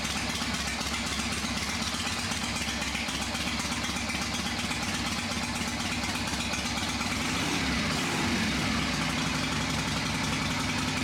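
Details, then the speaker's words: Old V-twin motorcycle engine first start after sitting unrun for a few years, carburetor just tightened: fires right up, even loping idle with steady beat, no knocks or misses, a little oil smoke; sounds good, normal idle. "Well, fired right up, a little bit of smoke from the oil in there and stuff like that, but other than that, it sounds good."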